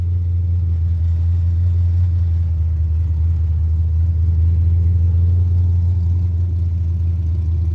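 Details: Carbureted 5.3 LS swap in a Mustang with MSD LS-series ignition: a deep, steady rumble holds at a raised idle with no dip or hunt. It starts and dies and idles fast; carburetor, timing or vacuum leak suspected, not confirmed.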